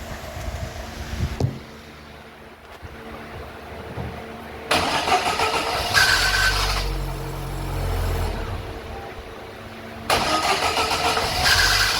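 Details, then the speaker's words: Chevrolet (GM) Celta on start: rough, uneven grinding whirr during each cranking burst before the engine catches; noise apparently from the starter motor. "vocês escutaram o barulho Tá eu vou tentar verificar na onde que tá o barulho aqui aparentemente é motor de partida"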